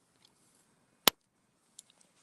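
One loud sharp snap as ground touches the hot wire, then a few faint ticks; a strong pulse, so the fence is live.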